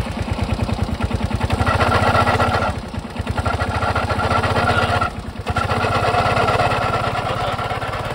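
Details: Suzuki Access scooter running before teardown after a loud noise suddenly started at the rear; uneven, loud rear clatter rising and falling with throttle.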